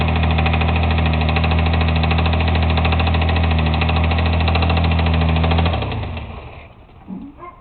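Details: Mitsubishi 3000GT VR4 petrol V6 idling with a steady, regular knock over the engine note, then shut off; this knock is why the engine has to be rebuilt.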